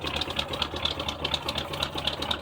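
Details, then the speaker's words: 1976 GMC Sprint V8 after years stored in a barn: fast, fairly even chuffing idle on poured-in fuel with crisp exhaust pulse, no knocking, blowing stuff out the tailpipes; engine runs after long storage. "it's running running on what i poured in there blowing stuff out the tailpipes"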